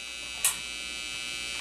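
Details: Vintage Teisco Check Mate 10 solid-state guitar amp after replacing loose transistors, guitar plugged in and turned up: a steady buzzy hum sits under everything with brief crackles; there is some hum.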